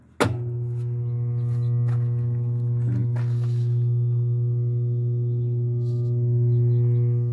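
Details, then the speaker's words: Whirlpool direct-drive washing machine, after swapping in a capacitor from another washer: loud steady hum at switch-on with no spin, then shuts off by itself; owner believes motor is bad and plans to replace it. "and it's still making the hum so I'm going to turn this on for you now and this is this is a video just to let you know what uh sounds like with a bad motor"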